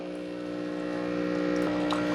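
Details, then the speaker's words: Cuisinart SS-4N1 Barista Bar brewing an 8 oz K-Cup; on light on, water pump gives a steady low electric hum building slightly with a faint gurgle. Normal pump operation. "Okay, so the on light is on. We hear the water pump."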